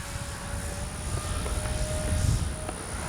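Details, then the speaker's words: Dynam Cessna 310 Grand Cruiser V3 RC plane in flight, twin Detrum BM2815-1100KV brushless motors, spinners removed to fix earlier problem: steady, smooth high motor hum over wind rumble, no roughness; sounds much better than before. "Yeah, that sounds so much better than it did before. Oh yeah, that sounds so much better."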